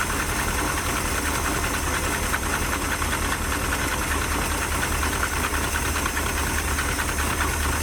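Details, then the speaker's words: 1977 Dodge D150 Adventurer 360 V8, first start after sitting 12 years: rough uneven idle, irregular stumble and loose knock, heavy smoke; owner suspects chewed-up plug wires dropping cylinders, running on 6-7. "I don't think we're running on very many cylinders. Those plug wires have been chewed up really bad."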